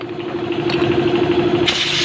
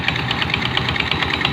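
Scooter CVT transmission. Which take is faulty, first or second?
second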